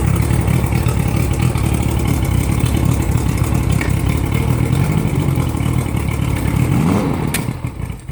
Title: 1987 mariner 75hp making weird noise